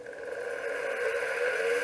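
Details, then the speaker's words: 1981 Apple ProFile 5 MB external hard drive under repair, microphone close to the drive, 5 V probed: whirring climbs as it spins up with a rough uneven hiss, doesn't sound healthy though the head moves. "go well I got to say it doesn't sound very healthy the head is moving you can't see it but I can see the head moving"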